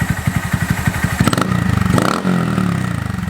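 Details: Honda Monkey with Yoshimura SA-18-K low-volume spark arrestor insert, warmed up, revved in the shop: muffled, mellow exhaust, even idle thumps, clean rise and fall, noticeably quieter than the previous insert; normal.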